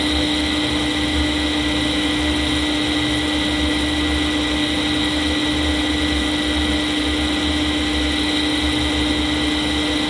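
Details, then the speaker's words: Fujitsu M2294NU 14-inch Winchester hard disk spinning up after power-on, suspected of a bad bearing: even, unbroken whirr with steady high note, no screech, clicks or scrapes; status lights normal; drive sounds healthy. "Um that sounds fine to me."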